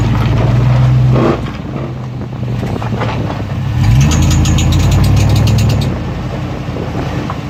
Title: Chirping noise on acceleration. 03 tahoe